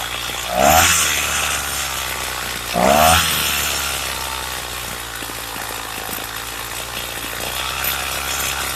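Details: Craftsman two-stroke weedeater with a trimmer attachment fitted for drag, idle screw set low; buzzing idle, then two throttle blips where revs sag briefly before climbing, like stalling before it kicks in. Hesitation on acceleration, cause unconfirmed.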